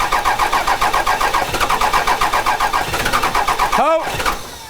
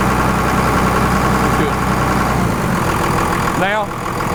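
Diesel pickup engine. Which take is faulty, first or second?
first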